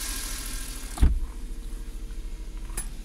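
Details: Suzuki Every 62V kei van left unused about 4 months, started on its own winter battery without the jump starter: single thump, then low, even idle burble holding steady, no misses or knocks; engine healthy.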